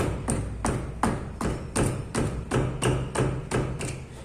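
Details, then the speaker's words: Chevrolet Celta front wheel rocked by hand gives sharp, hollow clunks about three times a second from play in the inner tie rod. Symptoms include suspension noise over bumps and steering wheel vibration at 80–100 km/h. "tudo galera tá um barulho danado essa suspensão aqui ó"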